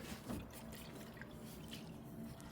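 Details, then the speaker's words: Toyota Solara with a very hard brake pedal, little travel and poor stopping: faint sloshing and dripping as the removed brake booster is moved, revealing water trapped inside that had rusted it badly. "Man, look at all that space. It's got water in here."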